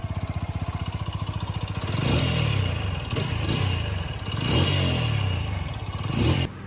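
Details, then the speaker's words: TVS Apache RTR 200 4V motorcycle: rapid metallic clatter at idle that swells into a heavy knock on each throttle blip, described as a major complaint. "இந்த சவுண்டுதான் வந்து பாத்தீங்கன்னா இந்த வெகிக்கிள்ல ரொம்ப ஒரு மேஜரான complaint."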